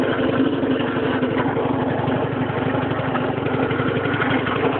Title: Strange noise from engine